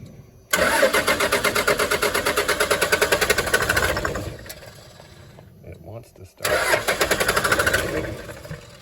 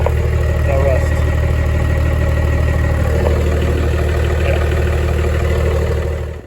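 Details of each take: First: 1996 Dodge Ram 2500 with a Cummins 12-valve diesel, sitting seven years. All six injector lines are cracked for bleeding. Steady starter cranking at about three compression beats per second never catches: a crank-no-start with the lines bone dry and no fuel delivery. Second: 1996 Dodge Ram 2500 12-valve Cummins diesel, sitting seven years, just started after fuel system bled; steady even low rumble, no knocks or misses, healthy idle. Truck also has broken transfer case, needs front driveshaft.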